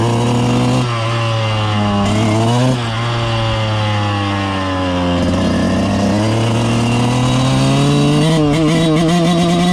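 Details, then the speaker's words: 2000 Suzuki RM125 two-stroke on its first ride after cleaning and carb adjustment: taking off easy in first and second, ragged stuttering revs that bog out and sputter under throttle; clutch possibly slipping. "I'll take off easy in first and second you'll you'll hear it kind of bogging out"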